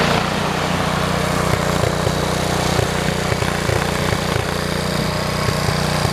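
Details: 1973 112 tractor after new points, coil, condenser and points readjustment: even, steady low thumping at idle with consistent beat and no stumbles; normal smooth idle.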